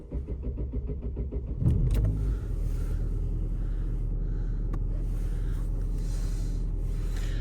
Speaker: Помиловок немає активних. Все працює. Все працює. І акселератор теж працює. І дроссель теж працює.